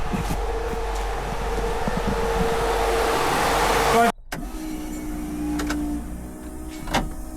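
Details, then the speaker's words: AU Falcon burnout car, both thermo fans newly wired to a switch and relay: steady rushing air with faint motor hum, pulling air through; fans running normally. "So now after all that time, flick the switch. Both fans are on. So, they're pulling the air through, which uh is good cuz you don't want it pushing the air, hot air from the engine through."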